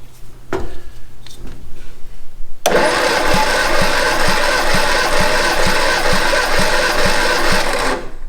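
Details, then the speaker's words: 1962 Austin Healey Sprite MkII engine after 10+ years storage, repeat compression test, cylinder 3 up from 130 to 150 psi (cylinder 4 still about 90): starter spins with strong, even thumps about four a second. Normal cranking compression. "good strong compression on that one i think that was 130 before now we're up to 150."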